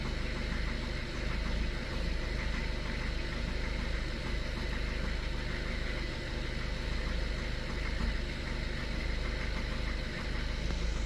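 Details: Skoda Octavia A7 2013 1.6 TDI, 188,000 km, cold at 21 degrees. Faint, even tapping about three times a second under the diesel idle rumble; the cold knock disappears after warm-up.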